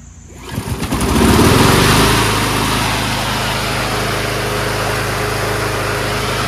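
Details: Curbside Powersmart mower with Loncin engine, started on choke: catches at once and settles into a steady, even single-cylinder drone without surging, misfire or knocking; normal running.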